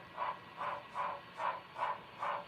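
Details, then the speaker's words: Model FEF-3 steam locomotive on NCE DCC, slowed to low speed steps (8, then 1): sharp, high dog-like chirps repeating about 2.5 times a second over faint running noise; the smoke unit fan chirps at low speed and is fine at higher speed. "It sounds like chirping, like from a dog. Like the funniest sound."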